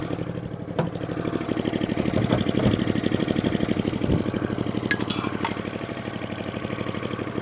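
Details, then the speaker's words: Atco Balmoral cylinder mower, unrun for 9 years, after tightening a loose carburettor float-bowl drain screw that leaked fuel: small single-cylinder engine holds a steady, even beat, about two firings a second, no misses; runs beautifully. "so now it takes over lovely it runs beautiful"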